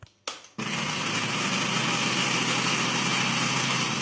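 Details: Electrolux EAB 966 blender after repair, previously dead and wouldn't power on: a couple of clicks, then the motor spins straight up to a steady high whine and holds evenly; healthy run.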